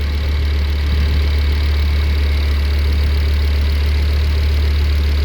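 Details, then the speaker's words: Smooth, steady engine idle with an even low drone, no misses or knocks, heard from outside the car during a checkup after a fuel system upgrade with surge tank; no leaks found, transmission oil cooler dry, brakes not overheated. "nice and smooth"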